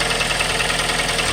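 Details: 2012 Kia Forte at idle, no oil leaks: quick, light metallic ticking, around ten a second, over a steady idle; top-end tick, cause not yet found.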